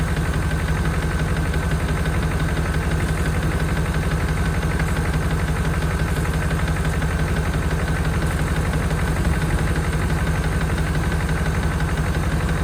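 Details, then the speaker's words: 1992 Chevrolet Caprice wagon V8, parts car said to be seized after sitting in a field, now running: steady idle with faint quick tick, front of engine, number eight side suspected; noisy lifter or bearing suspected, not confirmed. "definitely in the front of the engine H the number two rocker arms side sounds pretty good number eight sounds a little kny too"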